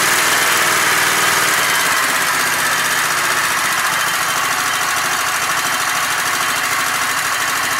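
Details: Sears Craftsman Kohler Commander engine after spark was restored by reconnecting the red wire to the spark module, air cleaner off. It buzzes along at a steady, quick beat with no misfires or stumbles; normal running.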